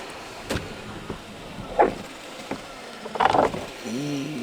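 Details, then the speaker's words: Porsche Cayenne sunroof moving really slowly, with faint motor hum and scattered clicks and clunks as the roof creeps along; the rails are dirty and the owner assumes they need silicone-type grease and plans to lube them. "it's really slow and it takes absolutely ages look at this"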